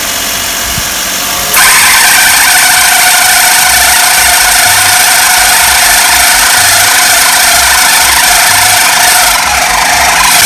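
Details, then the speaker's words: Car engine idling before adjustment, with a very slack AC belt that sags when pinched. A steady high chattering rattle rides over the idle, probably from the AC magnetic clutch and belt area: loose AC belt noise. "多分こいつだね。こいつがね、みんな名前あんま知らないと思うけど、これマグネットクラッチって言うんですよ。いや、ベルトもちゃんと腫れてねえな、おい。たるんでんな。"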